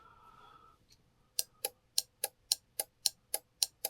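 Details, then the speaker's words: 2006 Subaru Impreza STI/WRX radiator fan relay, bench-tested while tracing overheating: power applied to coil terminals gives about ten crisp, even clicks a quarter second apart in a quiet room; relay switching normally. "So for testing it, all you need to do is apply power to the power terminals, and you should hear a click."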